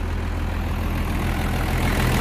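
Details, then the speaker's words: 1975 International truck with a 12-valve engine swap, after contaminated fuel took out two injectors and the VE pump, now with a new pump fitted: steady, even low diesel idle with no misses and no heavy smoke; the belt is cracking. "let's fire it up she runs let's look at it all right so the new pump's in and the belt is cracking right now"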